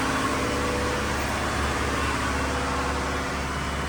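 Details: Diesel fire sprinkler pump on weekly half-hour test run, isolation valve closed, system on test; steady even drone with deep low rumble, no knocks or misses, normal running.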